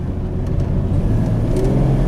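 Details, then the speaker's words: Jeep Cherokee 4.0 inline-six on a test drive after a new exhaust manifold, radiator and fan clutch. Strong, even drone builds smoothly with speed with no ticking or exhaust puffing; engine pulls clean and quiet, far better than before. "the one thing I like about this Jeep is that it runs like a scalded dog when it's running well that six elder is a beast [Music] oh yeah it's a million million times better no big noise no it's quiet"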